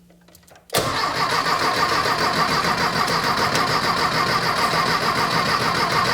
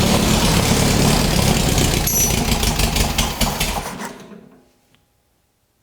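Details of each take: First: Custom VW dune buggy on a 1973 Beetle chassis shortened 22 inches, with a rebuilt 1600cc Dual Port engine, first start after basic wiring: quiet, then it catches abruptly and settles into a steady, busy run with no knocks or misses; normal start and run. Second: Rebuilt 1600cc dual-port VW engine in a custom dune buggy on a shortened 1973 Beetle chassis, first start attempt: ragged, loud cranking with uneven firing that fades out after four seconds; fuel reaching it, owner thinks it's really flooded.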